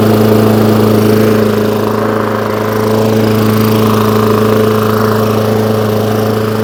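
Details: Hayter Ranger 53 mower that would not reach full revs, after bending the throttle/governor spring clip forward: strong even high-speed drone, steady pitch, no surging or misses; full revs held cleanly.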